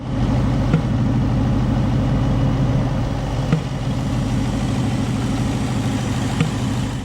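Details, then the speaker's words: 2019 Ford Mustang GT V8 with Lund 93 octane tune, JLT cold air intake and AWE catback: even idle with a sharp single pop every few seconds through the intake tube; tune suspected, not confirmed. "you guys could probably hear it in that clip the popping that was coming through the tube on the cold air intake"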